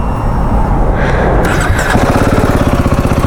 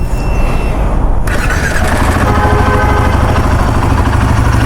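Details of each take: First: Royal Enfield Himalayan 450 single-cylinder at fresh-start idle: even thump with a light "tak-tak" tapping from the cylinder head. Said to have been present for two or three months; suspected tappet noise, unconfirmed. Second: Royal Enfield Himalayan 450 after a full general service for tappet noise from the engine head: steady single-cylinder idle, even thump, no clear ticking. It sounds normal but is not yet hot, and the owner is unsure whether the noise returns when warm.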